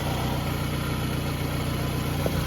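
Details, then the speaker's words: Scion tC at idle after CV axle repair and replacement of all engine and transmission mounts; steady even hum, no belt squeal, tick or knock, no leaks; idling smoothly. "Not seeing any leaks. See if I notice anything unusual going on up here. Yep. No leaks over here. Surprisingly, there's no belt squeal."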